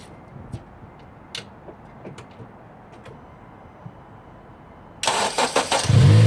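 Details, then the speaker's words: 2006 Honda Civic Si (8th gen) start-up after replacing the PCV valve: cranks, catches and settles to a clean idle; scratchy sandpaper-like grinding near the idler pulley at startup is gone. "I don't really hear the grinding noise anymore. Um, like I said, all I did was replace that valve right there."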